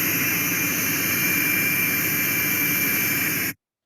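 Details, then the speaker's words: Trailer air brake system: loud, constant high hiss that cuts off abruptly, sounding like a leak at the ABS valve. Actually air back-feeding from a faulty spring brake park section out of the ABS valve exhaust, so the valve needn't be replaced. "yep looks like a leak sounds like a leak and i said to him that could be a leak that's not elite"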